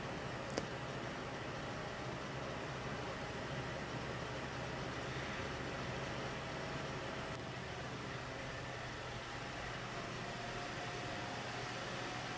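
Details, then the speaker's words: Hackintosh PC with stock boxed CPU cooler during a full-load export, other fans silent: steady airy rush with faint hum, constant pitch; the stock CPU cooler fan running flat out is the only noise source. "so yes you heard that right all the fans are silent just the cpu cooler is running like crazy"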